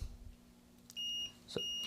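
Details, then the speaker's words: Switch-mode power supply seeing 60 V DC: multimeter continuity test on a power transistor near the voltage regulator gives two steady high-pitched beeps; transistor shorted straight through. "beep I mean just shorted right the way through"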